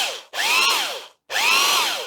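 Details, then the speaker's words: Dirty vintage double-insulated electric drill tested on two short runs: it spins up with a rising, strained, rough whine and coasts down quickly. The motor is very tight and is scrapped. "it runs but it's very tight yeah I don't think that will last very long at all given it's so dirty"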